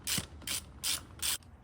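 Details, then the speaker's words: 1972 Ford F100 Camper Special, drum spun by hand with wheel off: rhythmic whooshing, whisking scrape about every 0.37 seconds from a detached brake shoe retaining clip rubbing inside the drum. "Obviously, that's the freaking wheel being loose from the lug nuts, but there's like that whisking type noise."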